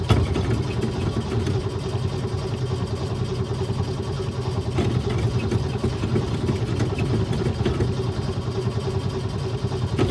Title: AirMax Hard Start